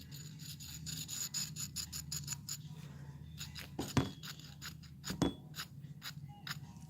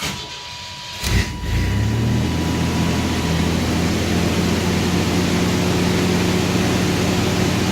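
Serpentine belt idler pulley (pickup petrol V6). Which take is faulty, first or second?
first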